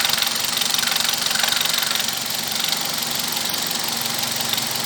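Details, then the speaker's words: Toyota Corolla Brad at idle, noise from top of engine: quick, fairly steady light ticking about four per second over the engine hum; oil level checked and not even showing on the dipstick, valvetrain ticking from low oil. "Antes da gente desmontar qualquer coisa, a gente apenas checou o nível de óleo do motor. E para surpresa, não tá nem aparecendo na vareta."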